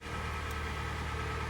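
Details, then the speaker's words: Hyundai i40 G4NA engine, 113,000 km, cold: idles with a dull, even rattling knock under the hum, from scored cylinders; piston slap. "как и у всех обычная болезнь случилось задрал автомобиль цилиндры стучит бренчит"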